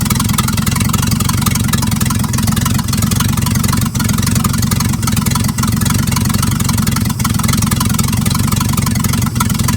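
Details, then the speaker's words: 1950s Dodge dump truck, inline six, sitting 30–40 years, running: a loud, rough low idle with sharp puffing ticks at each firing pulse. Exhaust leak; the exhaust pipe has rusted off at the manifold. "it still runs good a little loud because right down there it's an exhaust manifold down there the exhaust pops rusted off"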